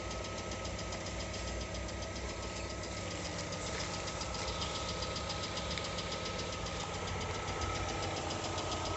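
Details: New 2020 Lada Largus engine at 3,300 km with steady light tapping over an even idle, a little over two per second, coming and going cold or hot; the cause was a factory-defective cylinder head, replaced under warranty.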